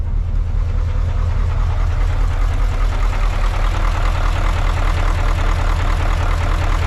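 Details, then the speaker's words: Rough-running marine diesel on a cruising boat in the Bahamas, clip taken in gear after idling with smoke: heavy, lumpy, uneven low thudding; still sounds the same after injector work, owner suspects a head gasket. "the last video you heard it just idling um and seeing the smoke but here's a clip of it when i click it into gear i mean it's not good"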